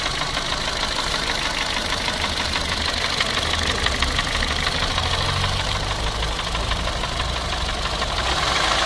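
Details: Idling Renault Clio 2 engine with an abnormal knocking noise: fast, uneven metallic ticking over a steady hum, source unclear.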